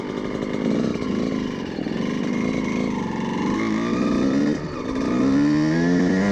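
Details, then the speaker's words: Two-stroke (CR125) after carburetor needle position change from too rich: pulls cleanly through midrange with crisp rising buzz, no spitting or stumbling; much smoother than before. "certainement beaucoup de course plus lisse oui c'est beaucoup mieux"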